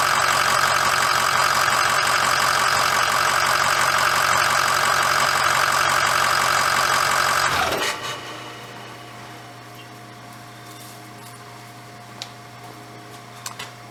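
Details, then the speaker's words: 2006 Ford F350 diesel idling after oil and fuel filter change and air bleeding: even steady clatter with no misses or knocks, then a clean shutdown; normal idle. "so everything looks good uh she started right up"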